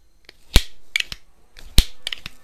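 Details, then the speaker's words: Benjamin Franklin model 137 multi-pump .177 pellet pistol after an inlet valve repair using a white Delrin part. Two crisp pump strokes with clean stops and no hiss of air bleeding back, though the first pump sometimes bleeds off; inlet valve sealing. "no it's not so for whatever reason every once in a while maybe it just needs to break in"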